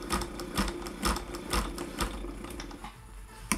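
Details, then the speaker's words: Freshly serviced Singer 404 sewing machine with its motor and pedal swapped for a Golden Touch & Sew 620 unit, pedal barely pressed: light, even needle ticking at about two stitches a second. Normal, well-controlled slow running. "you can see the speed control it's very good if i barely press this pedal down here this is what i get"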